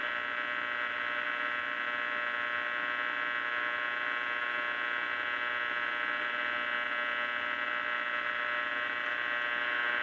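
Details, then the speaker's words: Restored Philco cathedral radio during final IF and RF alignment: steady, even buzz under the AM station, unchanging pitch; the owner attributes it to nearby fluorescent lights, with weak reception lacking a good antenna. "It's my fluorescent lights. There's something there, but can't get it without a good antenna."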